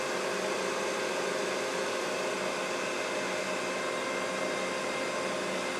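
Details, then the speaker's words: Mikini 1610L with a replacement inverter-duty AC motor on a Hitachi VFD at full speed (120 Hz, roughly 5200–5500 rpm): steady, even rushing whoosh with no knocks or rubbing, from the motor's top cooling fan. Normal. "so all that noise is just the fan on the top of the top of the AC [Music] motor"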